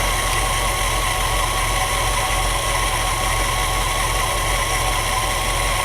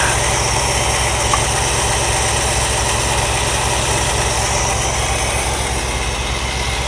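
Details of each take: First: 1963 Ford Galaxie V8 with new distributor, idle just adjusted: steady even running that won't drop back to idle; throttle linkage not fully returning because the return spring is too weak. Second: 1963 Ford Galaxie V8 with a new distributor, new intake and a repaired used Holley carb, timing set to about 10 degrees and idle lowered: low, settled, even idle. Idles smoothly and the lifter tick has gone.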